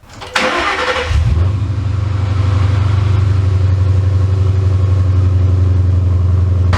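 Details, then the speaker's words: Ford Mustang Coyote V8 right after an oil and filter change, while chasing an idle issue: quick start with a short rev flare, then a smooth steady idle with light valvetrain ticking, less clicky than before; normal idle. "you can hear that there's literally just a little bit less valve train noise because coyotes are just generally kind of clicky sounding Motors it's just sort of how they are so it sounds just a little bit better"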